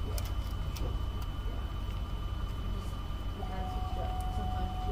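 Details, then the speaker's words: 2007 GMC Yukon with lost-communication codes and flashing dash warnings: scattered sharp clicks over a low idle hum as dash relays chatter. A busted connector with a missing locking tab sits only part-way in; fully seating it improved the CAN network. "here's our connector our connector's all busted you hear it clicking inside like look at our connector it's all busted"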